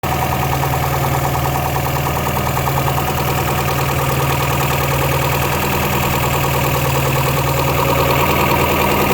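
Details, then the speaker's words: 3.0 engine at idle, customer complaint of knocking: regular knock about two or three a second from the top end, felt through the valve cover; responds well otherwise, cause unknown pending valve cover removal. "So, customer states the engine's knocking, so we got it brought back here complete. I can feel it hitting into the valve cover."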